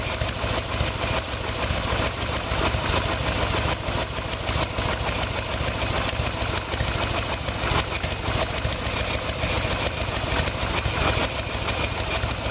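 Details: 1994 Harley Sportster Evolution with a 1996 engine, carburetor found to be the problem; idle while ignition timing is checked with the two dots centred in the timing window. Steady, loping V-twin idle at roughly two hundred beats a minute with no knocks or stumbles; sounds healthy.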